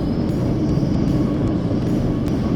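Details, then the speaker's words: 4WD with tyres let down to 20 PSI over hard corrugations, in the cab: steady low rumble with no harsh rattles or sharp impacts even over big bumps; quiet, refined normal ride. "And as you can tell, very quiet and very refined in the cab here. Look, I'm hitting some big ones now."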